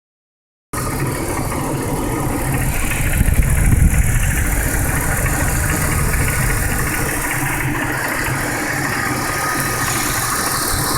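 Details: 1999 BMW E46 323i petrol six idling with a fast, uneven knocking/ticking over the engine hum. The cause is unknown, the spark plugs were checked and are fine, and there are no dashboard warning lights.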